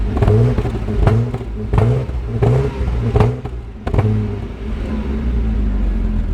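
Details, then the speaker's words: 1997 Jaguar XJ6 X300 3.2 manual after crankshaft position sensor replacement: lumpy, uneven idle with a heavy thump roughly every three-quarters of a second, firing stumbling; owner suspects excess fuel buildup from repeated start attempts, not confirmed. "seems to be running a little better now though so obviously this is a good sign it's running but it's a bit lumpy"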